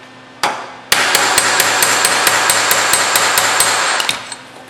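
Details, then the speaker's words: Hammer-on-dolly planishing of tack welds on a Camaro RS grille panel: quick, even blows ringing with a clear high ping, the sound wanted when hitting squarely over the dolly. "this is hammer on doly you can hear that pinging that's what you want"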